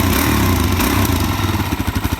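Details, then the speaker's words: Wrecked salvage 2019 DRZ 400 supermoto fires right up and settles into a steady, clean single-cylinder thump of about twelve beats a second, with no clatter. Runs well at warm-up idle. "That is sick. Dude, I can't believe this thing fired right up. Runs good."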